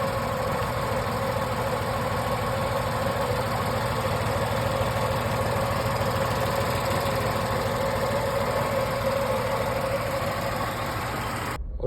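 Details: Tata Tiago, Revotron three-cylinder, 8 years old, 137,316 on the clock, recorded at the engine bay; steady idle with the usual three-cylinder throb and light even tick; normal idle.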